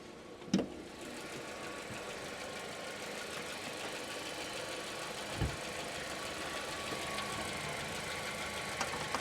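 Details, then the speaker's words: 2016 petrol car with old K-series-style oil cap, bonnet open, oil not creamed up, fuel very low: quiet, even idle with a soft steady purr, no knocks or ticks, a couple of handling bumps; normal idle. "It's not all creamed up. Actually sounds lovely. Yeah. Very, very quiet."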